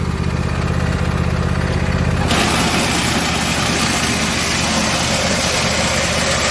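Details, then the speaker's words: Husqvarna YTH22V46 lawn tractor; drive belt came off a pulley and tractor stopped moving; after refitting the belt, smooth idle for two seconds, then harsh irregular banging and rattle: belt slapping on debris jammed in pulley. "i put the belt back on the pulley and it's still making all kinds of rackets"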